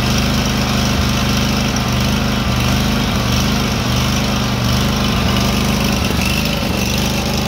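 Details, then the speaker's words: SCAG SWZT 52" mower twin: an uneven, lumpy beat at full throttle with soft, irregular exhaust pops, firing on both cylinders. Owner also wondered about a vacuum leak. "it runs okay at full throttle but other than that it's not sounding that good now full throttle kind of sounds like it's backfiring really quietly"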